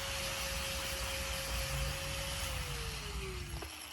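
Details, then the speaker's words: Harbor Freight angle grinder after motor brush replacement: steady even whine at constant pitch with no rpm jumping, then smooth coast-down. Normal running. "let's put it all back together and it works just like it should no more weird rpm changes"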